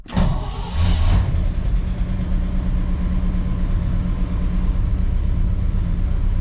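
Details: 1959 Chevrolet Bel Air V8, cold start with the choke set after carburetor fast-idle adjustment; the dashpot was suspected bad and removed. It cranks briefly, catches cleanly and settles into a steady fast idle with no misses; normal cold start.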